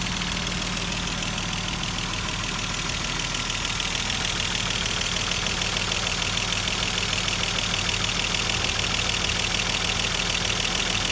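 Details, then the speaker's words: Mercedes-Benz W124 engine just restarted after cylinder head refit; light even ticking about three times a second over steady idle because hydraulic lifters haven't filled with oil yet, fading as they fill. "Mesin sedikit terdengar agak kasar dikarenakan adjuster pada mesin belum naik atau oli pada adjuster belum terisi dengan penuh, sehingga menimbulkan bunyi yang sedikit agak kasar."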